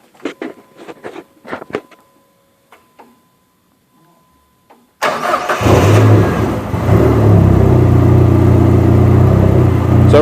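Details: 2004 SRT-4 with an electrical fault: dim flickering headlights, erratic tach, warning lights on; a few clicks, then engine catches and runs with an uneven, hunting idle, then dies as lights fluctuate.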